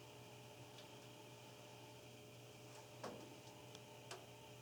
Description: Very loud boom (oil canning) and dripping water noise can be heard when furnace is running.